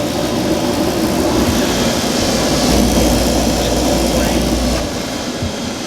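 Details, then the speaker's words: Speed Queen 30lb stack dryer after blower motor repair for bad vibration, burner lit, door shut; steady low hum with even airflow whoosh, no scraping or knocking; normal running. "Sounds good. Another successful repair."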